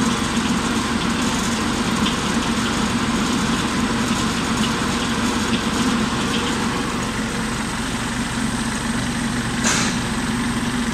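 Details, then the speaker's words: Kubota diesel tractor with rear finishing mower: steady diesel drone with a rising whir beneath as the clutch is released with the PTO engaged and the deck spins up; normal engagement before revving to PTO 540. "Take your foot gently off the clutch and you'll hear it start to wind itself up."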